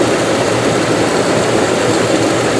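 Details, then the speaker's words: 1998 Jeep Grand Cherokee Laredo (ZJ), police-auction car, during fuel tank replacement: warm idle at operating temperature, steady, smooth, even low hum with no knocks, misses or ticks; no check engine light, only ABS light on; normal. "that's smooth though that's really really smooth and no no check engine lights"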